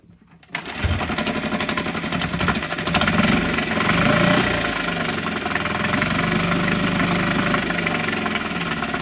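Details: Hangkai 6.5 hp four-stroke outboard that had been flooding, now fitted with a modified Yamaha 6 hp carburetor after idle-screw adjustment. It starts at once and runs with a quick, fairly even beat, no misses or rattles. Normal running.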